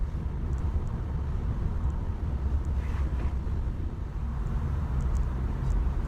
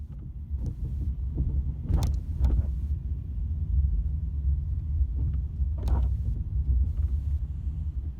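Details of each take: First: Ford Mondeo driving after replacing four split rear subframe bushes that let the subframe knock against the body: steady road rumble, no knocks or clunks; rear suspension now quiet. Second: Ford Mondeo driven over a speed bump, mic on the back seat: heavy clunks and knocks through the floor from split rear subframe bushes letting the subframe hit the body, worsening over about 3 years.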